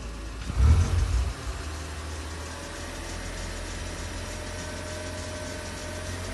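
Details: Opel Adam S engine: short rev blip then low steady idle with faint uneven clack; engine clacking noise, cause unclear.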